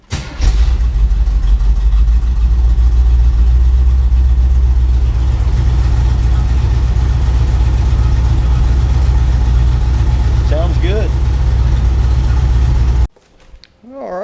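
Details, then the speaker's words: 1980 Camaro V8 after spark plug check for misfire and exhaust leak repair: fast, uneven rocker tapping over a loud raised idle; valve rockers need adjusting, idle stuck high despite adjustment, exhaust leaks now fixed. "so we did some work lots of work actually uh i've got to adjust my uh valve rockers so they're tapping pretty hard"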